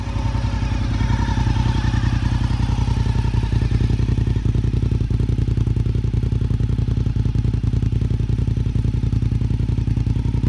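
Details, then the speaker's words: Warm idle of a 2002 Honda RC51 V-twin with the fast idle lever down in the normal run position: steady, even, deep beat at about 214 pulses a minute, no misses or clatter; healthy warm engine. "As you hear it start up, the fast idle lever is down to the normal run position."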